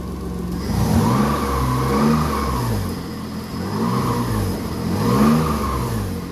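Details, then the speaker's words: Subaru SVX after fitting a new ECU, fired right up; smooth hum rising and falling cleanly through four throttle blips, no misses or knocks; normal running and revving. "Put the new ECU in. Fired right up."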